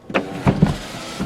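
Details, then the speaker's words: Car power sunroof clunking when opening: a few dull thumps as it starts to move, suspected dry sticking seal/track needing silicone synthetic grease; cause unconfirmed. "is your car's sunroof clunking when you open it take a listen did you hear that boom when it went to open let's shut it and do it one more time and that clunk also let's try it again"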